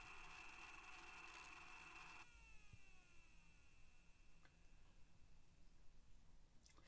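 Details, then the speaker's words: Sony MZ-R70 MiniDisc player/recorder on fast forward: a faint high whir for about two seconds as the disc spins up, reads data into the buffer, then stops to save battery. This is normal operation. "i'll press fast forward and you'll be able to hear it read a batch of data into the buffer and then stop the disk to save battery"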